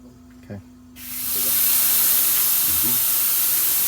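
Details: MCI MC5 coach after new air lines, releasing the parking brake: sudden loud, steady hiss of escaping air that doesn't let up; air brake release leak somewhere on the left side.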